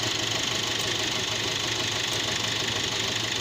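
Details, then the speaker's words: Nissan NP300 at startup, where the customer hears an intermittent low ticking, picked up with a stethoscope/scope near the alternator: a steady whirring with a faint rhythmic beat. The alternator clutch pulley bearing is failing, and replacing the pulley is recommended. "So right, these clutch bearing tend to fail, and what they do, your battery light will come on, or is that your battery's not charging like it's supposed to because of this same bearing."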